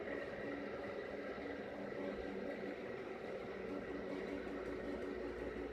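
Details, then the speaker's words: Rebalanced rotor drum cylinders with center bearing, motor on a table on rubber feet, previous rotor vibrated badly: quiet, even whir with steady tones, no rattle or wobble, no vibration felt by hand; smooth running, no vibration. "the camera should pick up any vibrations with the table but I can't feel any I've got my hand on the table I can't feel any vibration at all"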